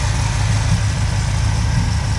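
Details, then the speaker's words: 1966 Pontiac Catalina V8 idling about 19 inHg vacuum: a low growl under a lumpy idle when the alternator starts charging, with the engine bogging slightly. The alternator also gets hot, and a replacement is being considered. "Yeah, you can tell when it kicks in, it starts to growl and it bogs the engine down a little."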